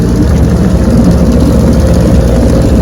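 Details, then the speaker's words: Restored 1971 Evinrude 9.5 HP 9122R outboard on lake test run: smooth, even low burble at steady idle with no misses, knocks or surging; idles well, normal idle. "Yes, sir. She's a keeper. Idles well."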